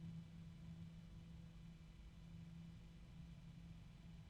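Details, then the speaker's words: Corsair PC case fan compared with a Noctua fan: faint steady low hum with a constant tone near 180 Hz, lower pitch, no grinding; odd fan drone, bearings suspected but unconfirmed. "sounds like the bearings are going the pitch on the Corsair is lower to"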